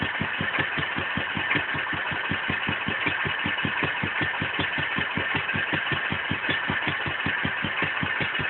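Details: Wolseley WD2 engine at first fire-up after a rebuild; slow, even putter with regularly spaced firing beats and no knocks or rattles, running smoothly. Normal running.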